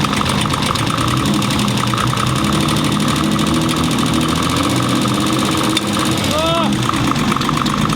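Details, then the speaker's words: Turbo BMW M20B25 just after a cold start: fast, regular ticking or clicking over a rough idle, following engine speed. Owner believes it is knocking and the engine is finished. Cause unknown. "so it starts right up which is great but you can hear the clicking it's"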